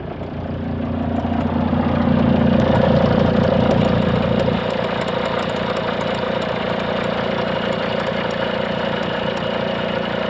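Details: 2004 Volvo XC90 D5 diesel idling with a steady mechanical rattle and a faint whine; alternator suspected: abnormal noise.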